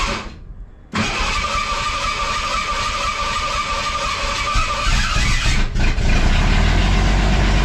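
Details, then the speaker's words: Ford Ranger engine started for the first time after a three-week rebuild with lifters set in firing order 1-4-2-5-3-6, fuel pumps running and coolant filled; short crank, then a smooth, steady idle with a slight rev, no knocks or misses: normal start and idle. "how about them apples she's running oh she's running"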